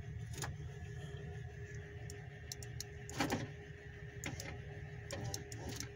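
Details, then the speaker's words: Ford Flareside truck parked about four years, power window test: a quiet, steady motor hum with soft thumps at the ends of travel as the glass goes down and up; the window works normally, but the switch button needs replacing. "del vidrio así baja y así sube está bien este botón hay que cambiarlos"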